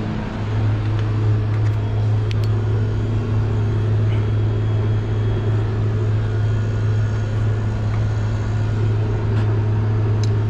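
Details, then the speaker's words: HVAC unit powered up: a steady deep compressor hum with no fan whoosh; the compressor runs but the condenser fan is not running. "guys so I can hear the compressor round but no my condenser"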